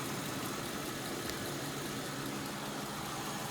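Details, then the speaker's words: 2002 Kia Sedona Mitsubishi engine, 98,000 miles, after replacing a power steering pump that was noisy on cold start, plus belt and idler pulley: soft, even idle with steady hum, no squeal, whine or knock. "this is actually a mitsubishi engine from what i hear it is nice and quiet right now though it's nice having uh some new stuff on there to make it quiet anyways"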